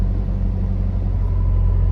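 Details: 1992 Nissan 240SX S13, SR20 swap, restarted after plugging in an air-fuel ratio sensor had killed the engine; steady deep even rumble, idling a touch fast. High idle, cause not yet found.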